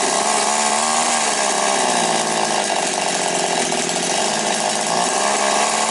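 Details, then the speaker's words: Chainsaw after curing an air leak that caused hunting revs and stumbles: even, high-pitched two-stroke buzz holding steady revs with no surging or dropouts; runs clean and healthy. "Все, короче, добре."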